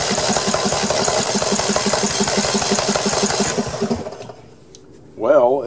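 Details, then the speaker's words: Snapper 1438S rear-engine riding mower, old, after clearing excess oil that had flooded it: starter cranks the engine over steadily, about four to five turns a second, turning much more easily, but no firing; fuel delivery next to check. "see if it'll crank up oh it's turning much more easily"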